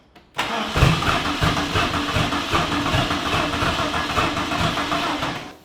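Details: New project car that ran well until recently: starter spins the engine steadily for about five seconds but it never catches, with smoke pouring from the catch can afterward. Crank, no start; cause unknown.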